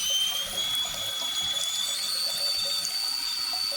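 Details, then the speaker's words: Toilet tank refilling with a steady high whistling squeal over rushing water; worn fill valve with mineral buildup, squeal stops when the float is lifted; fixed by replacing with a Fluidmaster 400H fill valve. "then you got a problem with this guy here, which you can see because if you lift this guy up, the squealing goes away, but so does the water as well."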